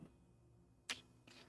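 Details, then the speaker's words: TronXY Veho 4A 3D printer doing quad gantry leveling with a tap-style probe: two short, sharp ticks a few tenths of a second apart over a quiet hum and fan noise, a literal switch clicking normally as the probe touches down, bed unheated. "Whoa, it has a tap. It uses tap. All right, let's do a quad gantry. Holy And the whole the whole thing moves like interesting. I hear it clicking too. So there's a literal switch in there."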